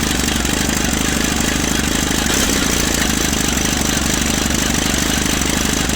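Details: 1950s Caterpillar D4 dozer that sat at least 20 years, pony motor starting the diesel; rough, uneven chugging at three to four beats a second as it barely catches; starter Bendix kicks out too early.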